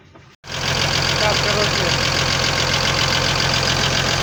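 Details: Cummins diesel at idle: light, regular knock about four times a second over steady idle, traced to worn conrod small-end bushings.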